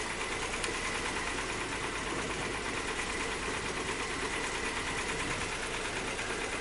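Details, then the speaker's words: 2002 Nissan Maxima with misfire codes, smoothing out above about 1,000 rpm: busy, uneven ticking clatter over a steady idle; engine sounds rough even aside from the misfire, cause not yet found. "even even if we fix this misfire it still doesn't sound good I told him the the original engine sounded better right yeah way better"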